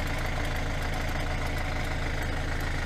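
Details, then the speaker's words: 2012 Hyundai i40 1.7 diesel at idle: light, fairly regular single tick over the diesel clatter. A new belt didn't help; the owner suspects the alternator clutch pulley and hopes replacing it cures the noise. "i hope when we replace the alternator pulley the sound will be gone because the alternator pulley is with the clutch and very often the clutch and these make just damage so that's the noise it's like single picking"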